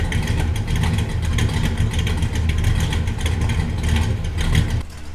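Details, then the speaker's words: 1967 Buick Special with 415HP small block Chevy 350 after fuel tank repair (brazed filler, adjusted sending unit): runs strong and steady through throttle blips, no misfire or stumble; fuel pressure holds, no leaks. Normal running. "we're good. Still have fuel pressure. Runs good. Doesn't appear to be leaking."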